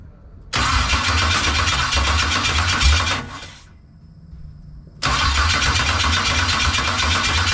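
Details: 1989 Box Chevy first start attempt with new injectors: the engine fires, runs rough for a few seconds, stalls, then restarts with an uneven, harsh note; the owner dislikes the sound and the cause is still unknown.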